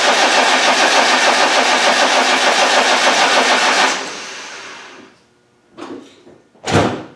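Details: Land Rover 300Tdi after head replacement and coolant fill, cranked with the fuel solenoid wire disconnected to prime the oil and fuel system: about four seconds of even cranking near three beats a second with no firing, then it stops; cranking without starting.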